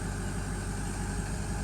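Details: Ford F-250 6.0L Powerstroke diesel idling after primary fuel filter replacement and priming by cycling ignition six times: steady, even smooth low rumble with no misses or knocks; running normally.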